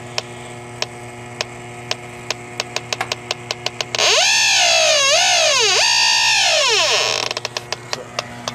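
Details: Detector alarm on an R-410A system pressurized with nitrogen to 172: steady ticking near four per second jumps to a loud warbling wail for three seconds as the detector sits on the refrigerant leak, confirmed by bubbling blue Nylog.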